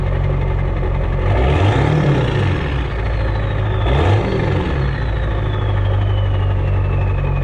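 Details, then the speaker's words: Ford 7.3 Powerstroke diesel with rebuilt upgraded turbo and exhaust, back after a drive; two light throttle blips climb and settle cleanly with smooth turbo spool and no odd noises; normal. "A little light revs now that we're back."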